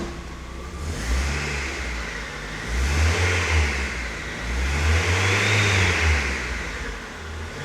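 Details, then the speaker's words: Mazda Miata with a brand-new alternator: whistle rises with each rev and fades at idle, louder than before; oil pressure 60, felt like knocking; alternator bench-tested smooth; owner wonders if water pump; source undetermined. "sadly still whistling. I have no idea. I have no idea what's up with it to be honest. It's even a louder whistle."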